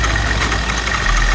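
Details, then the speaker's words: Honda scooter after refitting the small spring and spacer left out of the cover, steady even idle with a smooth low beat and no clacking or knocking; mechanic confirms normal: normal idle. "Normal sudah enggak? Bagus. Nah, yang penting hidup dulu ya."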